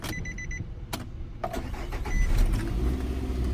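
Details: 2005 Nissan Altima 2.5L after replacing a bad camshaft position sensor (code P0340, previously no start, rough idle, stalling); door chimes, short crank, catches and settles into a steady idle, starts cleanly.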